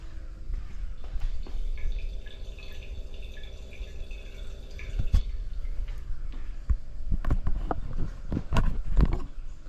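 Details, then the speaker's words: 1963 Corvair fuel system: soft trickling of fuel flowing back to the tank over a faint pump hum, about 2 psi dead-head at the gauge, no leaks; normal return flow. "I don't know if you guys can hear that or not, but I can hear it going back to the tank."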